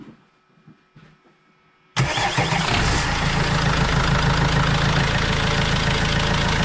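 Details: Vauxhall Vivaro diesel van, first start after an overdue service with new oil and filters: fires straight up into steady, even diesel clatter at idle, no misses or knocks, no leaks; normal idle.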